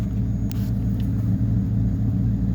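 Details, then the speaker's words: 1973 Ford LTD, 460 4V big-block V8, low compression, almost 85,000 miles, started in winter after sitting 2–3 months: deep, even rumble at a steady idle with no hunting, misses or knocks, a normal warm idle. "that's a cold start on the LTD it's a 460 4V 1973 low compression almost 85,000 mil on it"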